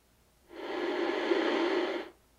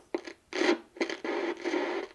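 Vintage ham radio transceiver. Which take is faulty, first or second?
second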